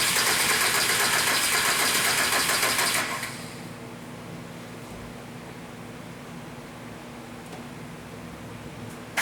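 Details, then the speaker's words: 1998 VW Jetta 1.9 TDI, no-start with 00550 code: even starter churning about three or four beats a second for three seconds, then stops; cranks but never fires. "customer's complaint is that it won't start it kind of had a long story starting out but it's just up it is it won't start we had to push it in this morning"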